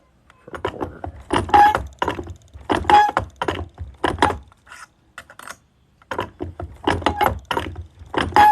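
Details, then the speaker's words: Hand-worked coin ring stretcher clanking while stretching a coin ring toward size 13, with short high squeaks on some strokes; suspected to need oil. "The stretcher might need some oil. You guys hear it squeaking? Decent squeaks."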